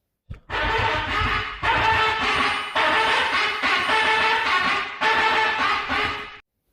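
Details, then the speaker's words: Range Rover Sport electric parking brake actuator: four about one-second bursts of whirring and grinding when the handbrake switch is pulled; actuator tightened against its stop, plastic gears slipping as it tries to re-latch. "and that's because this it's tightened up against here and it's trying to re-latch itself back into this but all it's doing is slipping on the plastic gears because this is tightened up against there"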